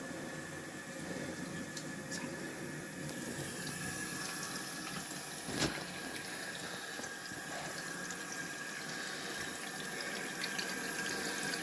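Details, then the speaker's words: Toilet cistern refilling after replacing the broken syphon diaphragm that stopped it flushing, water turned back on slowly at the valve. A steady, unbroken hiss and trickle with no gurgle or dripping; it fills with no leaks, a normal refill. "And the water's coming in through there, which is nice. So that's now full of water. It's filled up and we haven't got any leaks."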